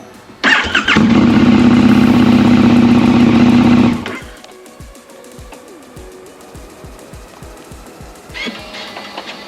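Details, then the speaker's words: KTM 1290 Super Duke R that wouldn't start (battery on charger, amber light flashing), after replacing the keyfob battery: starter whirs briefly, engine catches with a loud, steady burst and settles; starts cleanly, fault was the keyfob battery. "Bike now starts. Brought down to the Keyfob battery."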